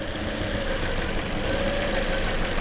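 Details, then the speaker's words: 2013 Toyota Corolla four-cylinder idling with an uneven, lumpy thump as one cylinder drops out; intermittent misfire for a year, plugs, coils and injectors reportedly already replaced; misfire moved with the coil, so a bad coil. "Yeah, it moved. See, we're still on 2, the missing one's on 1. It's a bad coil."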